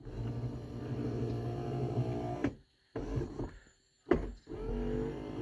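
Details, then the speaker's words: 1978 Mercury Marquis Brougham 400 parts car, sat 8–10 years: rear power window motor whirs in short runs up and down with the arm at full travel but the glass not moving; regulator roller off its track, possibly a broken glass track. "hear that the roller came off of the regulator or something because the arm is going full travel down and full travel up and the window's not moving"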